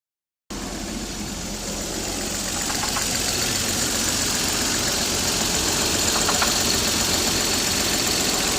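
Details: Toyota 7M-GTE about 4,000 miles after a head gasket repair. A light, even knock at about 220 a minute under a hissy idle. The owner suspects rod knock; the cause is unconfirmed.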